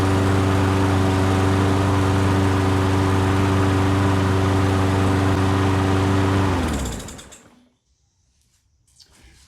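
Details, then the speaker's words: Poulan Pro lawn mower after carb cleaning, fixing a non-seating float needle tip that overfilled oil with fuel, air filter off: smooth, steady hum with no surging or misses, winding down cleanly at shutoff; runs normally. "right so there you have it now it's running nice and smooth"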